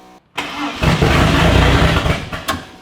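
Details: Project car (ran well until recently) cranks hard for about two seconds with an uneven chug but never fires; smoke pours from the catch can afterward. Cause unknown, not confirmed.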